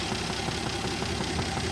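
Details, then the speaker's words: 1967 Jeep Gladiator, 6K original miles, dormant 30+ years, first run after revival with no exhaust: quiet steady idle, strong steady vacuum over 20 inHg, occasional soft puff misfire; running slightly lean, mixture screw backed all the way out. "Alright, every once in a while you can hear it kind of puff, like it just misfires a little bit. It's a little bit lean."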